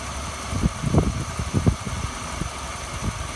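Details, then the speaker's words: 1995 Ford EF Falcon GLi 4.0L SOHC inline six just after water pump replacement (used pump): low, steady idle with a few soft thumps, no knock or squeal; a noise suspected from the power steering pump; runs better than before. "so yeah I think it's a lot better than it was I'm going to let this thing run let it warm up"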